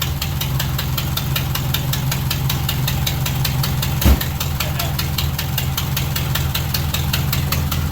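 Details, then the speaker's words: 1978 MG Midget 1.5 with side-draft carbs, sat neglected for years; battery shows plenty of charge but slow, labored cranking with steady ticking beat and a brief surge, no clean catch; owner suspects a weak starter. "Maybe the starter's just so weak it's not turning very well. There's something wrong with the starter."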